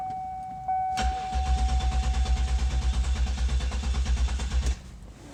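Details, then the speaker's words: Toyota Sienna with history misfires across cylinders, cranking during clear-flood check; steady beat near three per second, every compression pulse even, even cranking with no dead cylinder. "okay sounds pretty good to me i'm not hearing anything that uh jumps out at me uh like a cylinder that's not contributing or something like that"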